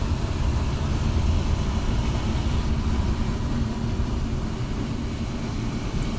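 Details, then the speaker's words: 2011 Jayco Jay Flight G2 31RKS travel trailer slide-out extending: steady low motor drone as the room travels out, changing near the end with a click at full extent, where it seals properly; normal operation. "right when it gets to full extent you hear like a clicking sound that means it's all the way so hold on one sec just like that that means it's all the way out"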